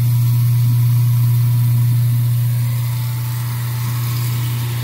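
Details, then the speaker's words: Garbage disposal that had been backing up, with lemon peels found inside, after running hot water through it: a steady, even low hum with no grinding or labouring; it spins freely and runs normally. "Just needed to be ran with some hot water, but it is not backing up anymore."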